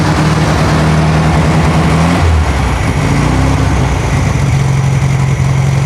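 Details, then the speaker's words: Warm new 1600cc engine in a 1968 VW Karmann Ghia during break-in, oil pressure 25–30 psi, lower idle set: steady low drone with brief rev change settling to even idle, no squeaks or rattles; normal idle. "I'm gonna let her idle like this for another 15 minutes anti-climactic but she kicks off and she runs no weird squeaks no weird rattles"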